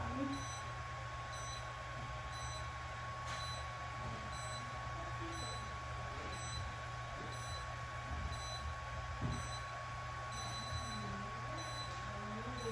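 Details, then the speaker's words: K-Laser therapy unit during an animal treatment: short high beeps at a steady rate throughout, some bunched close together when parameters like laser strength or focus change, over a low hum; operating normally. "and then you'll hear the beeping the entire time that the treat is occurring uh the multiple beats close together is it changing the parameters on how strong the laser is what the focus is on"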